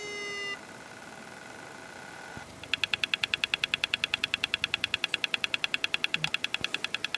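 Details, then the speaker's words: Very old laptop hard drive powered on: a short whirring tone, then steady rapid beeping chirps about three per second; the drive makes strange noises and fails to spin up properly. "Hey Leute, ich habe jetzt hier eine Laptop-Festplatte und die macht komische Geräusche."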